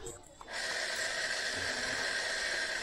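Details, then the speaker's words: Shimizu water pump that only hummed after long submersion and heavy rust, tested after its rotor was freed to turn by hand. A steady, even airy whir starts after a brief pause; the motor now runs smoothly. "hidup lancar mantap ini sudah berputar dengan baik"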